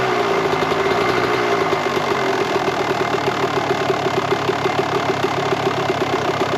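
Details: 1998 Kawasaki KX125 two-stroke, rebuilt OEM carb, started quickly on choke: fast ring-ding idle with a slightly blubbery, uneven firing beat; still a bit rich on the current pilot and main jets, so the carb is being pulled to swap them.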